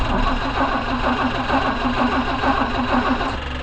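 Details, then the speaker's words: 164 engine started after sitting several days, choked: steady running with a coarse buzzing drone from the aftermarket electric fuel pump, loud when running dry, sometimes loud then quiet; replacement recommended. "That noise is the fuel pump. I notated that in the email. I would replace that fuel pump. It's an aftermarket electric one. It's just loud when it's dry, and it does start to run dry."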